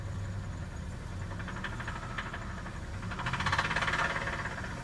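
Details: Rod knock on a cold engine: faint, fairly regular knocking about three times a second under the hood, growing louder as revs rise.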